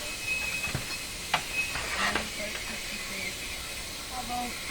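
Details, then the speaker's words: Bang & Olufsen Beocorder 2000 De Luxe tape recorder during playback: constant loud high-pitched hiss under faint playback sounds; excessive tape hiss. "lots of hiss"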